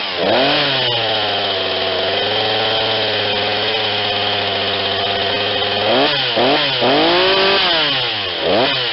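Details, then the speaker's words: Ryobi 40cc chainsaw, non-runner from sitting, after carburetor and primer bulb work, on a cold start: small two-stroke buzzing at a low, even idle with quick throttle blips. It runs clean, with the idle perhaps a little low. "that's great that idol's maybe a little low you don't want to go so the chain moves"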